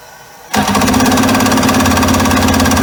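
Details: 1996 Mastercraft Wetjet Duo jet ski, revived after years of neglect with a new water box (muffler) fitted: engine catches abruptly and settles into a loud, steady two-stroke buzz; runs evenly.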